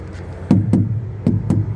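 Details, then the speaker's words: Dump-truck trailer tyre struck to check pressure: four solid, low, short thumps with a firm bounce and no dead thud; tyre fully inflated, normal knock (a soft tyre would give a dull "dong" sound). "คือถ้าว่าลมอ่อนนี่ถ้าลมแนนลมแน่นจะดังบึๆบึๆเลยคือว่าลมเต็มมันแต่ถ้าลมอ่อนมันจะดังดองๆองๆแบบว่าไม่อัน"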